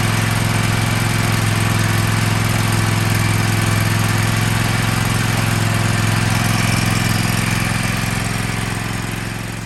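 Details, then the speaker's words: Kohler 7000 Series KT735 24 hp on a Toro MX5050 zero-turn, after new spark plugs replaced faulty no-name plugs: steady, even note with a smooth firing beat, no misses or sputtering; normal running. "New plugs is all it needed."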